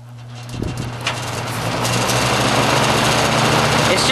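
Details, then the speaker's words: Toastmaster box fan, cleaned, only light dust in the motor, running on high: steady rushing airflow with low hum and faint buzzing rattle from the vibrating case rather than the motor; strong airflow. "just the case that's making that noise, but that's quite a bit of wind it blows."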